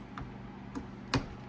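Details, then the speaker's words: Rebuilt Hurst 4-speed shifter from a 1969 Dodge Charger R/T, held in a vise, which had been slipping into reverse when shifting to first: three crisp clicks as the lever is pushed over the reverse detent; positive engagement. "See how much more you got to give that to get it over into rever into the reverse gate. You hear it clicking on that detent."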